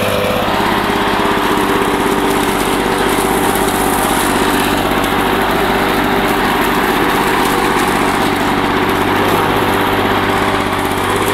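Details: 1984 Lawn Boy two-cycle mower, found roadside, after a rebuild of its clogged carburetor and clogged exhaust: steady, even two-stroke drone at constant speed, no stumbles, knocks or surging; healthy, smooth running.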